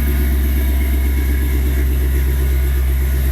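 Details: 1993 Chevy S10 with swapped 5.3 LS V8: deep, steady rumble holding even speed with no ticks, knocks or stumbles; normal running.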